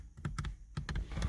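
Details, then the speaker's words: Mazda MX-5 with newly installed MX5 Things automatic roll-up window controller: switch gives a few sharp uneven clicks with no motor hum and the window does not move; controller acting inconsistently despite initialization attempts. "Oh, there it goes. Now it's clicking. Let's try this switch. Nothing. I got no window control."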